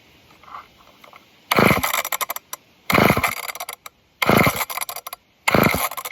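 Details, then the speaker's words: Old off-brand junkyard chainsaw, air filter cleaned and a little fuel poured in: four ripping pull-cord cranks about every 1.5 seconds, almost sounds like it wants to fire but never catches; cranks but won't start. "Come on. It almost sounds like it wants to. That's not good."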